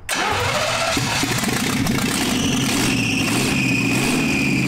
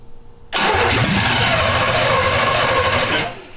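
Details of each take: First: 1971 Jaguar XJ6 with small-block Chevy V8, sat 5+ years, after fuel delivery problems chased with fuel down the carb: engine catches and settles into a steady, slightly lumpy idle, running on its own; fuel filter now full. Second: 1971 Jaguar XJ6 with a small-block Chevy V8, sat 5+ years, new fuel cell, plugs, wires and oil, cranked after throttle pumps without adding fuel: fast cranking about three seconds with no firing. Suspected running on residual fuel only. Fuel starvation, no start.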